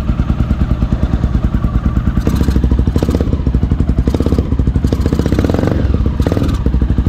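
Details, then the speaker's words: 2008 Honda Twister 250cc single-cylinder motorcycle with hard starting and poor idle, during carburettor adjustment after tightening a clamp: loud, lumpy idle with uneven stumbling beats about three per second; mixture now too rich. Rich idle mixture. "Parece que agora tá dando excesso"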